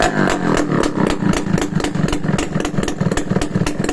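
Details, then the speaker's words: Restored Yamaha RS100 two-stroke idling with no exhaust pipe fitted yet: sharp, loud popping at about four beats a second from the open port. No knock or rattle underneath; a healthy engine. "Start naman natin kung may start. Wala pang pipe kaya maingay."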